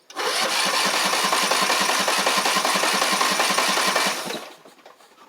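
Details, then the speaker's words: Scotts riding mower cranking: steady rhythmic cranking at about two and a half turns per second with compression, but it never fires; the owner suspects spark or carburetor, or possibly water in the fuel. "so here's that Scott mower it will turn over it's just not firing for some reason"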